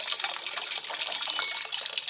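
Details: LG WF-S8005 single-tub top-loading washer whose tub won't spin though programs run: steady hissing gush of tap water into the tub, no hum or knock; normal water inlet filling.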